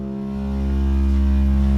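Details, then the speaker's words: 12V air compressor in a 4x4 winch bay, plumbed to a shared tank with a backup compressor: the motor hums steadily and picks up slightly, but there is no pumping rhythm or air delivery. Owner suspects a known failure, unconfirmed. "it goes but no air so that's why um yeah after what Jesse told me I'm assuming that that's what happened"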